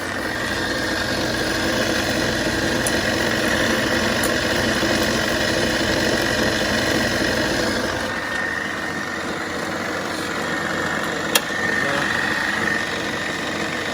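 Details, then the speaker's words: 1940s RCA 16mm projector fitted with a Bell & Howell spring belt to replace the missing forward drive belt, lithium grease applied. First power-on in rewind: a steady, even whirr with light ticking and no grinding; normal running. "It's running smooth. So obviously must was in the rewind."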